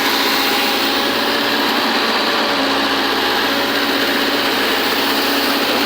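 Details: Volvo 210D diesel that would not start, running after a fuel sensor problem was fixed: steady, even mechanical whir with no knocks or surges, a smooth normal idle.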